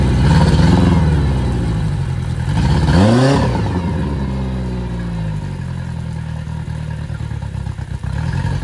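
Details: Yamaha 60 hp outboard on a Bay Craft 17'5 skiff, first start, steering cable not connected: blips up and down, then steady idle; runs clean.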